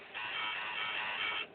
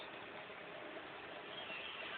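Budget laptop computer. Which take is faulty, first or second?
first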